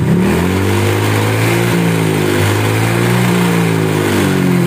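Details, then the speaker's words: Honda Vario scooter with a newly fitted SKR racing exhaust replacing the stock one, revving: a buzzy, vibrating ketek-ketek rattle rides on the exhaust note. "ini motor ada bunyi keretek ketek ketek ketek apaan nih"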